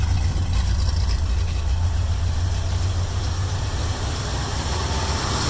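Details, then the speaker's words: Warm idle of a 1972 Mercury Comet with a small-block Ford 302 V8, after replacing the old dry-rotted, cracked spark plug wires and plugs; idle lowered, sounds a little less choppy, a steady, even low rumble with no misses; normal warm idle. "we'll see if this improved the idle quality at all it sounds a little less choppy that's for sure so sounds pretty good though"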